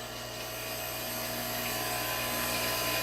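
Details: Unison Model 2100 CNC grinding system, wheel dress: smooth, even high-pitched whir building slightly and holding steady; clean continuous dress.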